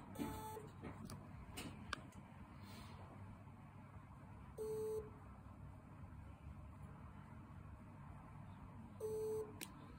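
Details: Seagate 6TB 7200 rpm SATA HDD (ST6000NM235), failed: after PC start it beeps about every 5 seconds over fan hum, POST is frozen for 6 minutes, and the drive is then not recognized in BIOS; failing hard drive beeping.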